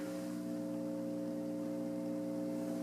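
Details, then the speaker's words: Takamine Palathetic piezo pickup through an amp: constant low mains hum that worsens when fingers touch the strings, eases when grounded and goes away when touching strings and jack; grounding fault, pickups also faulty. "lots of hum, and when I put my fingers on the strings, hum gets worse. If I ground myself, it gets better."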